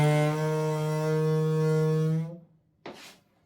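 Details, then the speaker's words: Toilet cistern with ball fill valve refilling: loud steady low hum with buzzy edge, stopping when flow stops, visible water ripples from the vibrating valve; fix is replacing the valve washer or fitting a new fill valve. "That's the noise. That's the noise. You can see from the waves that this fill valve is vibrating."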